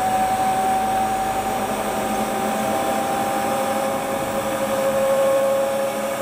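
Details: Hotpoint Ultima WT960 washing machine test spin after repair with a brand new replacement belt: smooth steady motor hum easing slightly lower in pitch, no thumps or scraping; drum spins normally.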